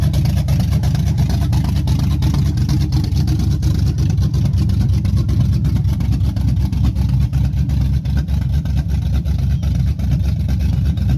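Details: Chevy truck 5.3 V8 after bent-rod repair with Summit pistons, stage 1 cam, TBSS intake and 90 mm throttle body: deep, slightly lumpy idle with a steady beat, no knocks or ticks. It is healthy and smooth with some cam lope.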